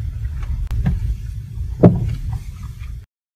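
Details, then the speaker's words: Stabilizer link knocking: a few sharp, irregular knocks over low road rumble, coming directly from free play inside the stabilizer link's joint, shown by measuring axial end movement of the removed part. "Bunyi ini datang terus dari dalam sambungan pautan penstabil."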